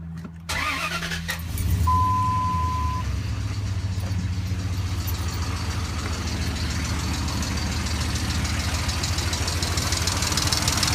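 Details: 2003 Dodge Ram 1500 4.7 V8 idling with a loose, uneven knock through the low rumble; some mechanics blame the timing chain, others recommend a replacement engine. Cause not confirmed.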